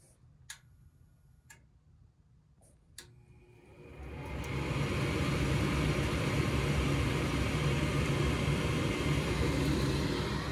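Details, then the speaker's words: Goodman gas furnace on a no-heat call, newly replaced induced draft motor tested on a heat call: relay clicks, then a smooth, steady whoosh with no rattle or bearing noise; the vacuum switch clicks in and the igniter follows. Normal operation. "Well, that sounds much better than the other one did. That's for sure."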